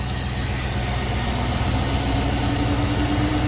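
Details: 2003 Chevy Suburban V8 idling with a faint, thin squeak from the belt tensioner pulley bearing; spinning each pulley with the belt off showed the idler fine and the tensioner noisy, so it was replaced.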